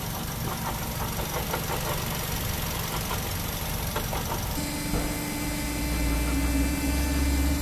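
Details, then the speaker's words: Idling Malaysian-made Perodua 1.5 dual VVT-i engine (similar to Toyota 2NR), heard from underneath; rough, gritty grind with faint rapid ticking, louder with aircon on due to load; worn water pump bearing grinding. "Pag naka aircon yan, mas malakas mga katropa kasi nakakaroon siya ng load. So ngayon alamin natin kung saan nang gagaling yung ingay. So yung umiikot niya dyan, alternator, water pump,"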